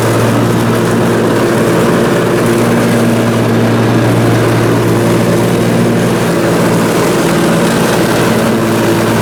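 Steady, even drone under load with no hunting or surging; the twin pulls smoothly and sounds healthy.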